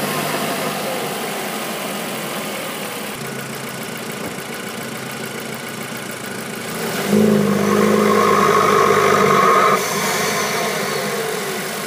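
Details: Audi A3 2.0T FSI BPY with stock K03S turbo, all stock, in cold winter weather, held near 1300 rpm on launch control: a steady howl over the exhaust under load with throttle open, unlike turbo spool, while boost builds.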